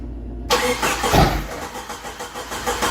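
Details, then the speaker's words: 1988 Jeep YJ abandoned for years, restart attempt: catches with a burst, sputters unevenly and fades; runs only on starting spray in the throttle body, apparently no fuel coming up. "yeah see it's just it's just running off of what I sprayed in the carburetor in the throttle body so we must not have fuel coming up here"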